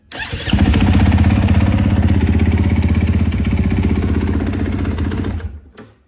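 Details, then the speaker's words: 2020 Husqvarna FC450 after in-tank fuel pump replacement, first start in a week: fires within half a second, settles into steady even single-cylinder beat about four a second with fuel pump audible, then shuts off; normal start and idle. "Oh yeah, I hear that fuel pump. It's working, man. That thing's working like a champ."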